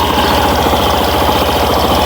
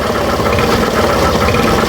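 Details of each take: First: Suzuki Burgman Street scooter after fixing noisy CVT, torque drive bearing found as the cause: engine revving smoothly with an even belt-drive drone, no sawing or rasping; CVT now quiet, running normally. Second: Suzuki Burgman Street scooter, microphone near the CVT; raspy scraping whirr rising and falling with each throttle twist, grinding at the torque drive, torque drive bearing suspected, not confirmed.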